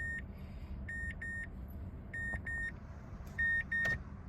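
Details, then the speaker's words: 2012 Mazdaspeed 3 with heavy DIY spliced wiring, crank no start, ignition turned on: high-pitched beeps in pairs repeating about every 1.5 seconds, the no-key-recognized warning with theft mode active. "Turn the ignition on. It appears that we have a no key recognized warning."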